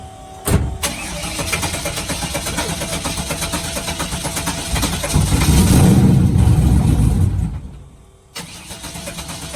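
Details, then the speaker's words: Race car after nitrous kit removal and rewiring, fuel pumps not shutting off: cranks, catches and revs, then settles with a hard, regular knock about four times a second. New engine knock, not present before, cause unknown. "yeah i wasn't knocking like that before"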